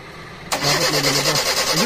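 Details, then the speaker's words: 2010 Kia Rio manual, unable to run after sitting over two months: the starter whirs and cranks for about 1.5 seconds with a wavering tone, but the engine never fires because the ECU and engine electrics are unplugged during troubleshooting. "Teka lang sir so hindi siya umandar ni-refer na ecu yan nakabunot tayo dito"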